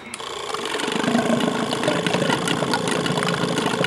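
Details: 2002 Yamaha R6 that sat 4+ years: steady fast whirring crank about four beats a second, no firing; owner suspects no fuel. Cause suspected, not confirmed.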